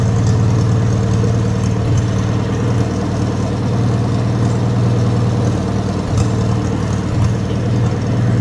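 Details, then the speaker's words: Wisconsin THD air-cooled engine, previously rebuilt (babbitt rod and shell-bearing rod reused), factory aluminum head swapped for a flush-fitting head that makes it quieter, running on a bench: steady, even low-pitched thrum with no knocks, ticks or rattles; normal running. "I just kind of thought that head was cool, but man, it definitely makes it quieter. It really does."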